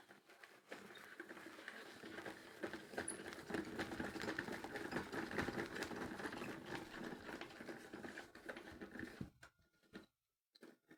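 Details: Worn drum bearings: rhythmic rough patter and grinding at about two per second while the drum turns.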